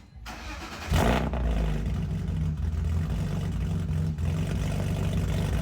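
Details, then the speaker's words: BMW E46 wagon on first cold start after installing eBay headers, basically straight-piped with only the first resonator and no muffler yet; the starter catches and it settles into a loud, deep, raspy cold idle with almost no muffling. "Yeah, that's done. That was real fucking loud. I'm gonna throw a muffler on it because that is loud as shit."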